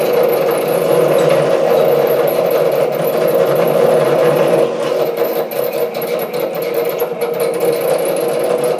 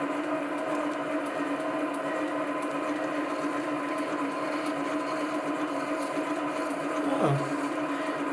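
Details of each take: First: SC2 mini lathe parting off 316 stainless steel at half chuck speed: harsh uneven chattering cut falters as workpiece slips in chuck; tool moving off centre, loose top slide suspected. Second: Chinese SC2 mini lathe, 1.6 mm HSS parting tool, test cut on brass to check tool centring: smooth steady hum, even cutting note, no chatter or squeal; normal parting cut, tool thought to be exactly on centre.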